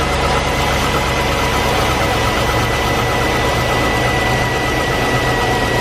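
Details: 2004 Chevy Avalanche at idle after power steering cooler replacement: steady engine drone with a thin constant whine on top; power steering pump drawing air, fluid milky-looking with air and reservoir actually nearly dry.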